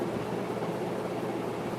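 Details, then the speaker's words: Two-speed antique Century ceiling fan with a shaded-pole motor, its broken part repaired with Gorilla Glue, running on high: smooth, even hum and airy rush; a slight scraping on spin-up, cause unknown, goes away at speed; drawing 3.42 A, 216 W. "there's a little bit of a scraping noise when it comes up to the speed I don't know what's causing that but it goes away when it gets up to speed the amount of air this thing is moving is absolutely insane"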